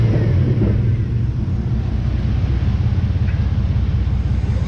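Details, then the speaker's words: Chevy V8 after mount work, running in the shop: deep steady rumble at fast idle with a slight shake, no misfire or stumble; transmission still to be topped off, engine running normally. "it's pretty much perfect it and it's got a slight shake to it at idle but you know what it'll be alright"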